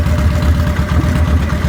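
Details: 2000 Victory V92SC motorcycle with rough idle and stalling: low idle thumping that stumbles, beats coming irregularly instead of a steady lope; cause not evident.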